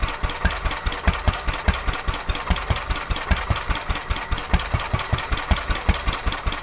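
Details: Petter A11 (A1 series 2) single-cylinder vintage stationary engine, owned 12-13 years, sat damp in a container for four years; uneven beat about two and a half per second, strokes skipping and varying in strength; rough running, owner suspects fuel starvation from dirt in the carburettor.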